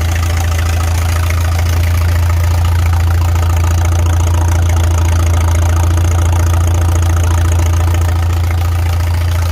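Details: Farmall 300 Row Crop tractor idling out of gear on temporary fuel with the choke open; a faint rapid puffing tick in the exhaust beat consistent with the original exhaust manifold's rust hole, being replaced. Otherwise runs well with no smoke.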